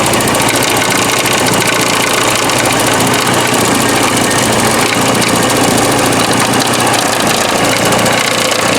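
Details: 1984 Porsche 944 first running after about four years, at idle, hood open; loud metallic clatter from the front near the timing chain area after recent work there; something loose, cause unknown.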